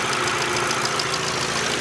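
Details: 2012 VW Jetta GL 2.0L after replacing the cylinder 1 plug wire: steady, even idle firing cleanly on all cylinders, misfire count stuck at zero.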